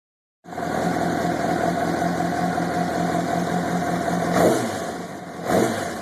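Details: 2005 Honda CBR600RR: steady fast idle with a light rattle over it and two short revs. Owner unsure whether it is normal. Suspected timing chain noise, not confirmed.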